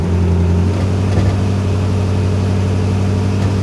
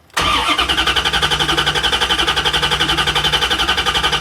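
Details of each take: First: 1994 Chevrolet Corvette with a cold misfire, despite a new distributor, water pump, plug wires, cap, rotor and plugs, during a brake-torque test: a deep, steady idle with a faint uneven stumble. A single-cylinder miss, milder than at the start. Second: 1994 Chevrolet Corvette with a cold misfire, cranking with the pedal floored to cut injection: the starter spins the engine with an even, unbroken beat of about four pulses per second. Compression sounds balanced; the problem is suspected to be ignition.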